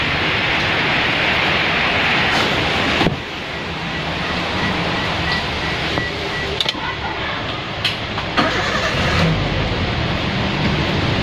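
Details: Toyota Rush (2007 or 2003 stated) that misfired like a dead coil, caused by a broken head gasket: after repair, the starter cranks and the engine settles into an even idle with no stumble.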